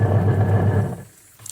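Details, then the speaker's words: Videocon washing machine wash motor gives a deep, strained hum for about a second, then cuts out; starts only when spun by hand and stops under load. Suspected failed capacitor or motor. "इसमें आप एक आवाज सुन रहे हो गग की आवाज आ रही है तो यह घूम नहीं रही है"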